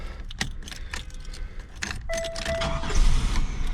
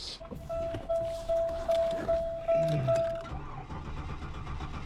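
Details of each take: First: 1998 Buick LeSabre with a VATS key, after a crank no start fixed by replacing the ignition control module and its burnt connector: clicks and rattles, then a quick crank, and the engine catches and runs steadily; normal start. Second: 1998 Buick LeSabre (VATS key; starting fluid didn't help): steady starter cranking at about two and a half beats per second and the engine never catches. Crank no start.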